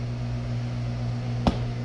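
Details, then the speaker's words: Refurbished strong-brand hot tub with about 50 jets, pump on first then second speed after sitting 15 minutes, gate valves and jets open: steady electric hum, a click, no water rush or bubbles; air lock, won't prime. "You can hear the pump running. Okay, here's second speed. It's pumping. The gate valve is open. The other gate valve is open. All the jets are open. But no matter what I do, I can't get it to prime."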